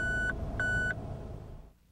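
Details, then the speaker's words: Mazda RX-8 tire pressure monitoring system warning: two clean, high beeps about a third of a second each, half a second apart, sounding with the warning light when pressure in one or more tires is too high or too low. "if tire pressure is too high or too low in one or more tires the warning light will illuminate and a warning beep will"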